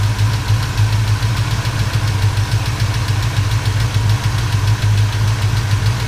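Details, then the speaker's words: 1977 Chevrolet C10 V8 after a broken rocker arm and valve lash adjustment, idling in the garage after a short drive: light, quick tapping about three per second over steady idle; owner suspects a lifter or rocker on one side. "we're gonna pull back in the garage here see we can put it where that little rap tap taps coming from"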